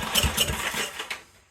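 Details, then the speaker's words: Generac SVP 5000 generator, long unused, customer reported no spark and no run; choke not hooked up, starting fluid sprayed in: ragged pops and sputters for about a second, then fades out, won't keep running. "all right well since I don't have the choke quite hooked up yet I'm just going to put a little bit of chemical juice in it just to give it up quick"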